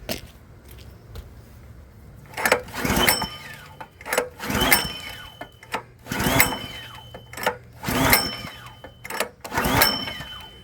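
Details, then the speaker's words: Log splitter small engine unused for about 4 years, after cleaning and air filter check: six hard recoil pulls about every 1.5 seconds, each whirring briefly with no catch; cranks but won't start, fuel then added to carburetor. "All right. Well, we're cranking and cranking and we're not getting anywhere."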